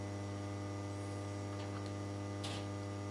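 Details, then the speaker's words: HP 8901B modulation analyzer after power supply repair: display flicker gone, constant low mains-pitched buzz with no air rush, the cooling fan seized and locked up, still to be fixed. "well the flickering is gone away the buzzing's the fan cuz I got it locked up"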